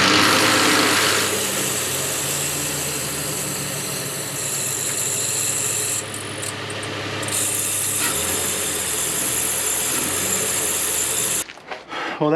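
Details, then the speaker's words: 2006 Nissan Xterra running after new serpentine belt, tensioner and idler fitted: harsh steady high squeal and rapid chirping, worse than before; new idler pulley bearing seized once tightened, old idler refitted. "removed the new idler pulley it was essentially locked up as soon as i tighten it that bearing would just like seize in place"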